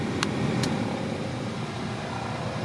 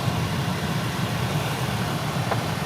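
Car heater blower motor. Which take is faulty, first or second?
first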